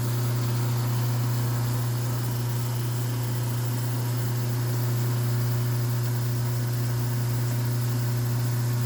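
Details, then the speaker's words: Garbage disposal after wiring in its switch, following breaker trips when a switch wire was put on neutral: an even, steady low motor hum with no rattles or stalling as it spins up; normal running. "This is the sound of success."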